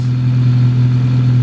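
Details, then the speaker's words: Honda Civic Si idling after installing RDX injectors and a new fuel rail, with no leaks and fuel pressure holding at 55. Smooth, steady idle with no misfire, and none of the small pops heard on the stock injectors. "everything seems fine nothing's leaking and it's holding fuel pressure so uh pretty sure everything is fine that's pretty good too it's right at 55 which is really really good it doesn't sound like it's misfiring sounds nice"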